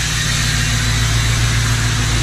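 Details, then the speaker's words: 1977 F-250 crew cab with a swapped 6.0L Powerstroke diesel, exhaust cut under the cab and smoking. It has a steady, fast drone at high idle that screams because an automatic PCM is fitted instead of a manual one; battery volts are low. "You can see the smoke. It's just because of my high idle, if you can even hear me talk."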